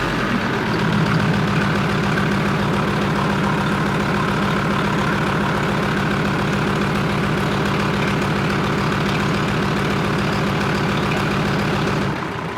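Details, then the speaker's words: Leopard tank diesel engine test run after replacing fuel injector bank O-rings and five or six cracked hoses: deep, steady, even throb with no stumbles, then shutdown; no leaks, healthy running. "so there you have it so we've test run our leopard engine so the o-rings that we changed out in our fuel injector bank are sealed it's not leaking from where it was before"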